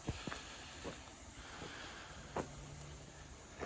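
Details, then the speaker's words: M35A2 truck, engine running: steady high-pitched hiss with stray clicks from a hole in the air pipe from the compressor to the main line; owner plans to weld it. "EAS that yeah you can hear that ear hissing away through itself now so yeah I'll get some plums weld on that or something"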